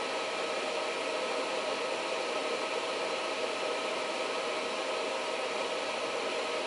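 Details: Reliable Electric 800W pure sine inverter under a load ramped from 700 W toward 800 W, with output voltage dropping to about 100 V: a steady, even airy fan rush with a faint constant hum. The cooling fan is running normally near full load.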